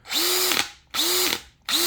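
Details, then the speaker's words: New Bosch 975 drill: motor spins up to a steady whine, then a sharp clack on trigger release on any setting, not in hammer mode; impacts felt through the body, sounds like grinding, owner unsure if normal. "Just got a new 975 drill, and whenever you let off the trigger, it makes a funky sound. Kind of sounds like the hammer drill thing almost kicks in some way, but it's not on hammer drill."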